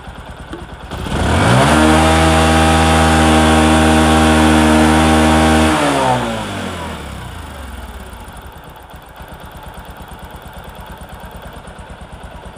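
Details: Discover motorcycle, in a clip about mileage and engine-sound problems: engine holds a steady, even note for a few seconds, then winds down smoothly with no knocks or rattles; normal running.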